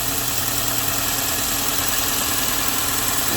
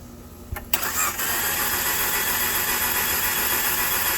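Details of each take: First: 2013 Dodge Dart 1.4L with a replacement engine (86k miles) started after long cranking and resting the starter. It settles into a steady, even idle with a smooth low hum and no knocks or misses, running normally. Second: 2013 Dodge Dart 1.4L with a replacement engine (86k miles) cranked about 20 times with the gas pedal held down. Compression gauge reads 100 psi. The starter churns steadily at about four turns a second, but the engine never catches.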